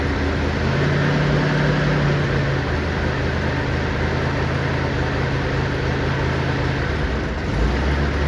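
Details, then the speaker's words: 1959 Chevy Impala 348 V8, first start for cam break-in: loud rough idle with raspy chuffing; bad passenger-side exhaust leak, thought to be the donut gasket at the bottom of the manifold; plan to tighten it. "Got a bad exhaust leak on the passenger side. But that's probably that donut get in there. I hate those things."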